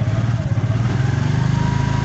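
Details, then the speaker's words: Piaggio 200cc scooter after starter motor repair (cracked magnet, worn carbon brushes): engine catches and settles into a steady low even thrum, no starter grind or misfire; normal start and idle. "gumana siya guys gumana siya guys ha"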